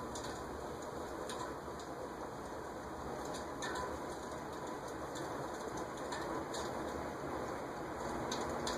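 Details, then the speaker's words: Vintage 1970s-or-earlier cast-iron 48-inch VEC/Venton ceiling fan on medium speed: soft steady hum with faint uneven ticking, dry stiff bearings from years unused; expected to quiet after long running, no oiling needed. "Definitely making some bearing noise. But nothing, again, nothing that indicates that I need to break out the oil or WD-40. It's just, well, if I let it run for long enough, it'll stop."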